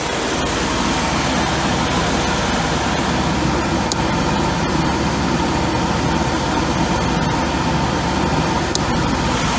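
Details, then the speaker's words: 1992 Mercedes 300E W124 M103 after head gasket install, idling with AC on and fans running: faint, irregular sharp clicks every second or two from the heater mono valve cycling; normal. "i can hear the mono valve going on and off on and off so weird here's your mono valve"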